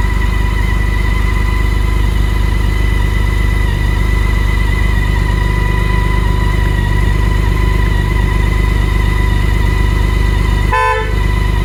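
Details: 2019 BMW K1600GT after nearly 5 months' Minnesota winter storage, idling during pre-season lights check: steady engine idle, then short clear horn blast near the end; horn works normally.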